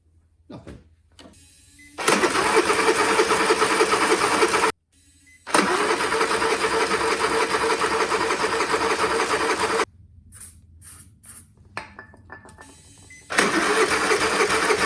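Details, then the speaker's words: Honda inverter generator bought at auction, powered from a jump pack: three spells of cranking, coughed once but never ran; cause unknown. "nothing that did not do anything did it um it coughed once and no more"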